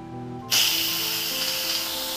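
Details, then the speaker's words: First-generation Yedi electric pressure cooker: a quiet hum, then a sudden loud, steady hiss as steam vents during quick release. This is normal. "the key is to keep your hand to the side and make sure your face face and hand doesn't go over here because again a lot of heat and steam is going to come out"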